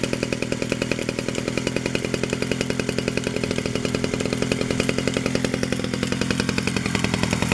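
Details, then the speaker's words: 1947 Danarm Junior Mk1 two-stroke chainsaw after full restoration (new bearings, coil, condenser; remade fixings; timing set), no fuel tank yet, only a drop of fuel in the pipe: crisp, regular popping about 3.5 beats a second; runs normally. "There's only a drop of fuel in the pipe, so there's no fuel tank yet. There she is, she runs"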